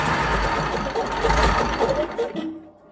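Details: Perkins V8 diesel in Fordson Major, first start after a long time, once fuel reached the injectors: catches and runs with uneven clatter for a couple of seconds, then dies away.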